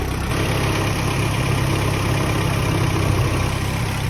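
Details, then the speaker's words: Ford Sierra Cosworth at idle with heavy shaking, low droning rumble and faint buzzy rattle, possibly a headlight also rattling; worn engine mounts passing vibration into the body, mounts need replacing. "Death rattle. Yeah, the mounts have got to go."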